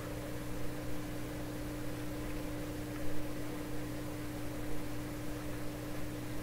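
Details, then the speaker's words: 1928 RCA Victor Model 28V radio under bench testing with an alternate 227 tube: steady low hum with a clear tone just above 200 Hz, unchanging, newly coming from the speaker; mains hum. "Oh, a new hum coming out of the speaker here."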